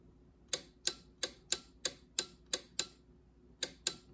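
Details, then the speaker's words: A relay clicks sharply about three times a second when 12 V is applied to a pin of a 24-pin slip-ring connector on a robot base board, over a quiet background. The relay is pulling in properly; normal relay clicking. "you can hear that relay clicking it's this relay right here"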